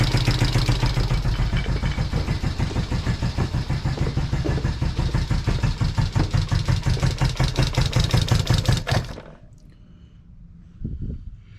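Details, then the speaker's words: 1973 Honda CB350 after 18 years sitting outside, first start after valve and timing adjustment on a temporary fuel tank: an even, steady idle putter of about three beats a second with no misses, then switched off. Normal idle. "I feel better now that it's running after"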